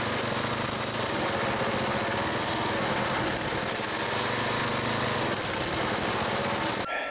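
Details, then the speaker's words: Small single-cylinder log splitter engine on a cold day, Seafoam added, under splitting load: steady buzzing run without stumbling or surging, then cuts off. The owner always thought something was wrong, but it runs good. "I always thought there was something wrong with the engine nothing wrong with that engine that engines running good I put some seafoam in it and boy not bad at all"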